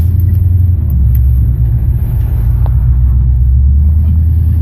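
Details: 1976 Chevy C10 rear end noise, mainly when coasting; deep, rough steady rumble from the rear driveline with vibration felt through springs and frame. Owner suspects a loose driveshaft or universal joints, not confirmed.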